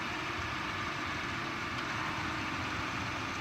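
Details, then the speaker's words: 2017 Chrysler Pacifica engine started by remote start idles with a smooth, even hum and a steady low rumble, with no knocks or misses; a normal, clean idle. "if I want to start the engine remotely it's got the remote start as well we can tap this twice you'll hear it start up"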